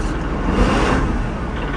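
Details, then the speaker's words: Kubota Grand L3560 HST diesel tractor with BH92 backhoe; hydraulic hoses disconnected and reconnected, engine off, to cure a hydraulic whine and vibration. After startup it settles to a smooth, steady rumble with no whine; hydraulics sound healthy. "see if we start it up we got any noise here we go no issues no issues no noise i'm good to go"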